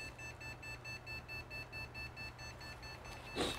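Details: Desktop PC with 8 GB DDR3 RAM at power-on: a high-pitched beep repeating rapidly and continuously over a low fan hum, on a boot loop; RAM suspected as the most common cause.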